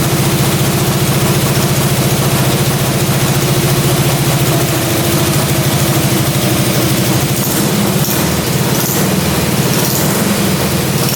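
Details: Russian Dnepr military twin sat 30 years in a barn, just after carburetor idle adjustment; fires up and settles into a fairly steady idle with a few light throttle blips; normal idle.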